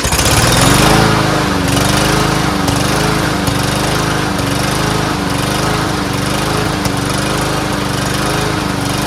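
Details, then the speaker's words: Troy-Bilt TB110 push mower, Briggs engine, just started after carburetor cleaning: pitch wobbles up and down every second with irregular thuds, hunting; owner blames old yellowed gas, says it needs really good gas; rough running. "not bad not the greatest but it's the ass gas in there got to clear it up you know probably hasn't been running a while let the valve move around a little bit"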